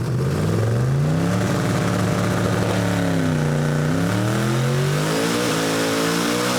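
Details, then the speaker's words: Camaro drag car on a chassis dyno at 20 psi boost, tune-up 2, about 80 psi oil pressure. The engine pitch climbs strongly and cleanly under full load with no misses: a healthy full-power pull making about 1977 hp. "yeah, now we're at 1977, so basically 2,000 horsepower."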